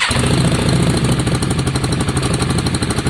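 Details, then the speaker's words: Yamaha Virago after carb clean: front cylinder previously not firing; with new spark plug fitted, loud even V-twin idle, steady lumpy beat, no misses; both cylinders firing, runs smoothly, a tick returns. "oh that sounds better john"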